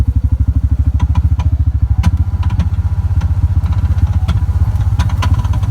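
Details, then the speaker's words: Chinese 700 side-by-side on a trail at night: the engine thumps at a steady beat with a loose clatter over it. Owner suspects a failed one-way bearing, which would explain weak engine braking downhill; unconfirmed. "so you hear that folks I'm pretty sure that's my my one-way uh bearing that's failed and that'll explain why I don't have much engine braking coming down Hills but that's that sound"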